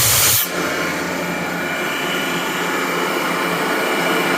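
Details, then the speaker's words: Gardner Denver Electra Screw EBE99K rotary screw compressor, 24,873 hours, freshly serviced: steady strong hiss of air from the opened 1-inch ball valve, not fading; building good pressure normally. "The unit is equipped with a 1-inch ball valve. Right here, we will open it, show you it's making pressure."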